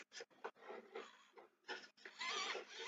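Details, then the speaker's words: RC foam airplane wing servo tested: short buzzy whirring bursts as the servo sweeps back and forth, smooth with no grinding or stutter; servo sounds alright, normal operation. "This one seems to be hyperextended, so I can't tell. Let's see. Alright, that servo sounds alright."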